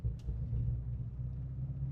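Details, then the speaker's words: Renault Clio 172 Cup on the way to a track day: low lumpy rumble with an uneven exhaust beat, misfiring and running on three cylinders. It did this before after being parked up; cause not found, and the misfire later cleared. "It's It's misfiring. It's running on three cylinders now."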